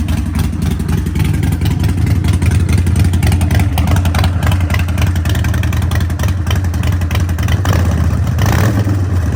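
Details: Harley-Davidson Sportster 1200 with Vance & Hines open exhaust and K&N air filter, after ECU reprogram for a fueling and poor-running problem: loud, lumpy V-twin beat revving up and settling cleanly, no misses or knocks; running healthy.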